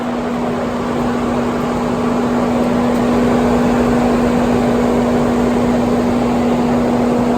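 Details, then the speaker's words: 2018 Mercedes-AMG C63 S parked with engine off after high transmission temperatures; loud steady whooshing roar of the cooling fan running excessively, caused by a punctured radiator leaking coolant. "I guess unless you have a car just like this I guess you can't really relate to this fan that noise being way too loud but it is"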